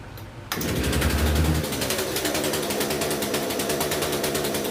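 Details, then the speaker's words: Poulan P3314 chainsaw just after swapping in a China-made replacement carburetor for the original one: catches at once, flares briefly, then holds a steady buzzing idle with even firing; running properly, may need slight fine-tuning. "I started up you can hear it probably needs a little fine-tuning but that runs a way way better than they're trying to Carver that was in there"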